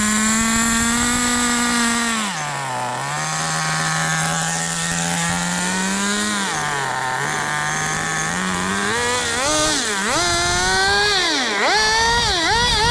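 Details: Duratrax Street Force 2-speed nitro RC car with cleaned fuel tanks and reworked exhaust, throttle servo locked and horn removed, roto-started: a high buzzing note dips and climbs smoothly with throttle, with no misfire or stumble, running clean and healthy.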